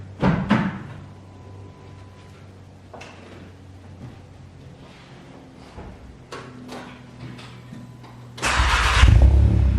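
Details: VW Golf GTI after fitting hybrid IS38 turbo and full exhaust, oil primed: workshop clatter then engine fires and runs with smooth steady roar; clean start, no oil or coolant leaks seen.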